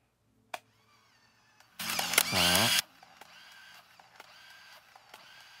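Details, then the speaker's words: Olympus AF-10 Twin 35/70mm point-and-shoot loading film with lid closed: single one-second motor whir sliding in pitch, then stopping cleanly; normal film auto-load winding. "기운찬 소리가 파와 함께 착장에 로딩이 됐다는 거 나오죠"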